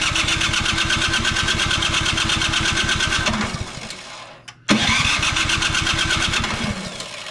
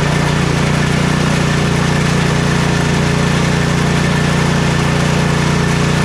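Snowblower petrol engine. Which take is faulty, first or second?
first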